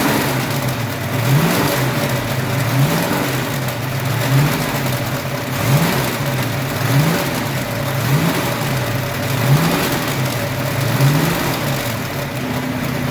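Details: Ford 302 5.0 V8, never run before by owners, steady idle with a dull uneven knock about every 1.5 s; persists with belts off and each plug wire pulled; suspected piston slap, wrist pin, timing chain or torque converter area; source unknown.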